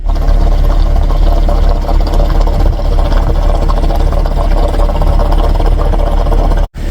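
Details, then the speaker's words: 2011 GMC Acadia, cooled off, with faulty purge valve (hard starting and stalling after refuelling, black smoke); loud idle chugs unevenly, about four lurching beats a second, as revs settle; rough idle from purge valve. "if it ever settles down into the Rev you'll see that it'll just bloom bloom bloom bloom bloom bloom bloom bloom chug along like that"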